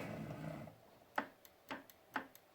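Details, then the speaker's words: Sharp crisp clicks about half a second apart as the Y end stop switch on a Wanhao i3 with Duet WiFi upgrade is pressed, printer upside down after Y belt setup; switch working normally. "I can hear the switch going, so that should be okay."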